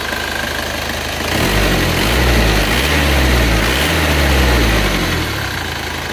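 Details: Rebuilt Isuzu Panther diesel with cast liners, after a test drive to Blitar and back: even idle clatter, revs rise and fall back smoothly with no knock, miss or rattle, and no smoke. Engine healthy.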